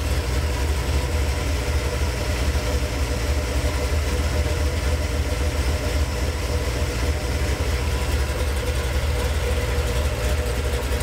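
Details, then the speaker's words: Gen VI L29 454 big-block V8 on an engine stand with factory ZZ502 hydraulic roller cam on 110 LSA: deep lumpy idle, even rolling lope, strong low exhaust pulses, no knocks or misses; healthy motor. "But all across that range, it sounds really good. It's a very like healthy sounding motor. It's a nice cam, and for a GM cam, it's cut on a 110, so you get a pretty decent lope to it."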